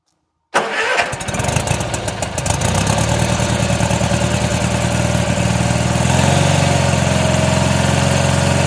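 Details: Garden tractor with a Magnum engine, 50-inch deck and power steering, on a cold start: quick crank, catches cleanly and settles into an even, steady thump at idle with no misses or knocks. Normal cold start and idle.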